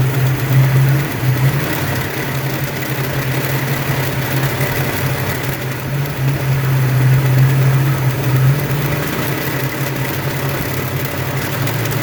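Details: Ford 302 5.0 V8, never run before, idling: light loosely regular tapping about four per second under exhaust note; persists with belts off, unchanged pulling each plug wire; owner suspects piston slap, broken wrist pin, timing chain or torque converter area.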